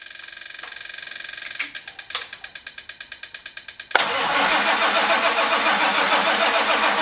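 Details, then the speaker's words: 1946 Ford with diesel in about 49°F cold after glow plugs: steady cranking near four strokes a second, then louder rushing with no firing; cranks but doesn't catch this attempt. "We got nothing."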